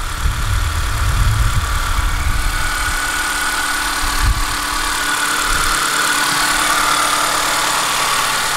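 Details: Daily driver idling right after valve cover gasket and spark plug replacement, started to check for leaks: even, steady idle with a smooth hum, no knocks, ticks or misses; engine running cleanly.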